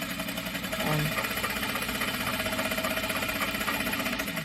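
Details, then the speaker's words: Juki DDL-8700 industrial sewing machine running: fast, fairly even ticking hum, about four beats a second, under the machine's whir; the oil pump pumping oil, a normal oil pump sound. "can hear the pump right now going to maybe that's what people were talking about but normally I don't hear it because I usually have something going on TV"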